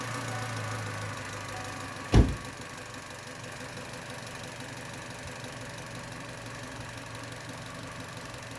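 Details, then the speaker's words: 1.4 turbo Chevy Cruze/Sonic, restart after fixing the EVAP purge solenoid; after a brief knock, a steady quiet idle with faint light injector ticking and no more plastic rattle from the solenoid, idling normally. "that purge solenoid isn't making that plastic rattling noise anymore sounds a lot better right now"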